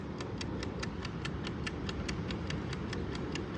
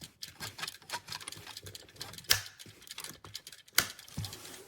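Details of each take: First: BN-LINK countdown digital in-wall timer switch for shed lights, about three weeks old: steady quick mechanical ticking at about four and a half per second after re-engaging; it intermittently stops ticking at a certain point, leaving the lights on. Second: BN-LINK countdown digital in-wall timer switch: quiet, fast, steady dry ticking from the switch continues after the light is turned off while it counts down. This is normal operation before it shuts itself off.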